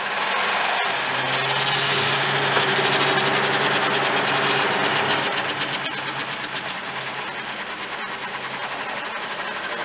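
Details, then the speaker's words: 1973-91 GMC Jimmy/K5 Blazer rear power window after cleaning contacts: low steady motor drone for several seconds, then fading and thinning as window binds and slows; owner suspects weak alternator, gears sprayed; slow motor. "so it's going down but it just is getting stuck at the and it should go a little further than that i believe it's going up pretty good per second and then it starts binding up"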